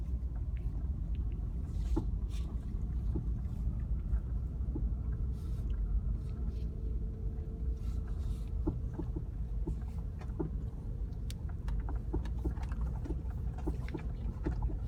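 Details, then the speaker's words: Car driving after transmission mount replacement: road rumble with faint steady mid-pitched tone and light ticking about twice a second; the clunk over bumps is gone, but a noise remains, possibly a sticky caliper. Source unclear. "Still a noise, but the clunk clunk noise is gone when I go through bumps. So I think something else is a little off."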